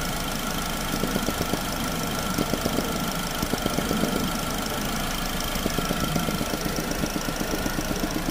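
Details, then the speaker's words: 2009 Chevy Cobalt at 370,513 miles, original vapor canister purge valve, line removed after warm-up: light steady ticking about four per second over smooth warm idle. Purge valve cycling normally. "And when you first start it up, you shouldn't feel a vacuum until it warms up for a few minutes. Now you can hear it. Hear it kicking on."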